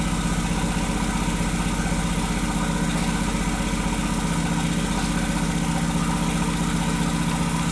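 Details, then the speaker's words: 2001 Volkswagen Jetta Wolfsburg 1.8T (180 engine), bought non-running with a suspected harness problem: uneven, shaking idle with a regular stumble in the exhaust beat, about four a second; scanner shows random misfire plus cylinder 2 and 3 misfires (P0300, P0302, P0303). "we have random misfire and cylinder number three and still the number two misfire"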